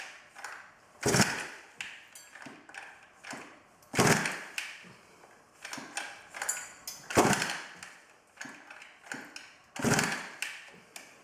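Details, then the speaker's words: 110cc midsize off-road pocket bike unstarted for two years, key on, choke on, primed: rasping recoil pull about every three seconds, each dying away without catching; cranks but won't start, spark, coil and carburetor to be checked. "after three rounds the pocket dirtbike wins though it's fairly obvious by this point it's not going to start"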